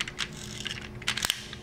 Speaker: that clicking means that you've gone as far as you can go and so now you're going to let the wheels go and the wheels are going to take off and drive the car forward